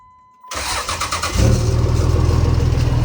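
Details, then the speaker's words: 2005 5.9 Cummins just fitted with an Industrial Injection add-a-S400 compound turbo setup and two mufflers, turbo primed with oil. First start: a short crank catches quickly and settles into a steady, even idle with a deep, much quieter exhaust and no knocks or hiss. "Much quieter. Much quieter. I like it."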